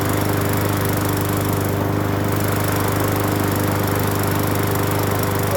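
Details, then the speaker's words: Free Hyper Tough 20-inch push mower after carburetor and gas tank cleaning, with a Seafoam-type fuel treatment added: the small single-cylinder engine runs with an even, fast beat and no surging, misfire or shaking; normal running. "not shaking either. Not as bad. Wow. Not bad, not bad. Not bad at all, not bad at all."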